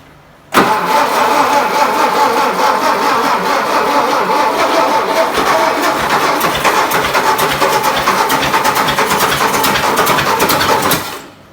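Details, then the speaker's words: 1959 VW Beetle, first start after sitting about 45 years: steady, even cranking for ten seconds with the starter spinning freely but no catch or firing; fuel starvation, needs more fuel. "Need more fuel. That's a good sign."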